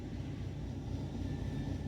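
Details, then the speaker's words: 2014 Chevy Equinox with P0011/P0014 codes and misfires, before repair: a low uneven, lumpy idle stumble. Scanner cam data looked normal and the cam solenoids were checked. "Even right now, I don't know if you guys can hear that over me talking, but the engine is stumbling."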